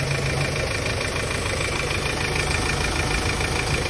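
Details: Hyundai Starex D4CB turbo diesel, checked for blow-by after a part was replaced: steady, even diesel clatter at idle with no misses; no smoke from the dipstick tube or breather, engine healthy.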